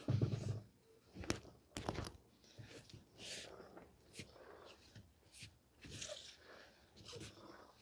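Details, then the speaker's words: 2013 Honda Odyssey 3.5 L, louder than usual on the highway; wheel off and bounced: short bursts of dull clunks and rattles as a broken loose piece tumbles inside the tire. "it's basically the piece inside is going is uh is rolling down the road"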